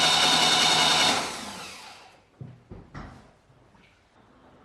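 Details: Saab 900 Classic after years of sitting, first starter test after starter revision and new starter wiring loom: steady high whir for about a second, then smooth spin-down with no grinding; starter turns freely and sounds healthy.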